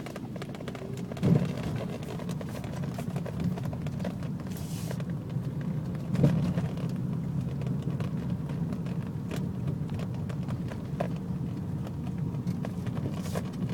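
Steady idle rumble broken by an occasional stumble and puff about every few seconds, the uneven beat of a misfiring cylinder.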